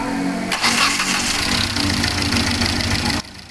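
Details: 2012-up Hyundai Accent CRDi diesel that stalled while driving and wouldn't restart, after replacing a faulty injector: brief crank, then fires promptly and settles into an even clatter before shutting off; normal start.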